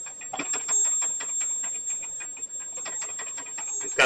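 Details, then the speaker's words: Thin, steady high whistle above faint ticking and crackle from a homemade small boiler for a miniature steam engine as it comes up to steam; steam escapes. "I don't know if you can hear that whistle. It's pretty loud."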